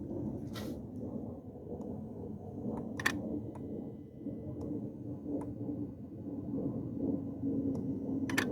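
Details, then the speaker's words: 2016 Kia Forte with intermittent P0335 code, key on: sharp, uneven relay clicks about once a second at the front relay, stopping when the transmission connector is unplugged. "Let me go up front to where the relay is and you can hear the relay clicking."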